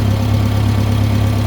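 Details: International IH 504/2504 backhoe tractor with new cap, plugs and wires and cleaned carburetor: steady, even low idle, no misfire or stumble; idles cleanly, but stalls randomly under load after 10–20 minutes.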